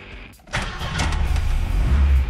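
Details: 1987 Chevette after manual-transmission conversion, in neutral with half a pedal pump: short crank catches at once into a steady, even low idle; normal engine start.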